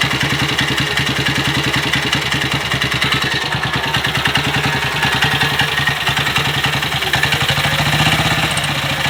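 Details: BSA Gold Star big single after major engine repair, just started after kicking on a hot day, held on the throttle; loud uneven thump about three beats a second, no knock or clatter; normal running, break-in miles pending.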